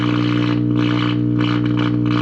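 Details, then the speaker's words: 1951 General Electric model 404 tube radio, all tubes lit, trying to tune a station: loud steady low mains hum with rough hiss pulsing over it and the station mixing in, from bad filter capacitors. "so you can see that we're actually it's trying to receive a station but of course you know the hum is so loud you can hear it kind of just mixing and making"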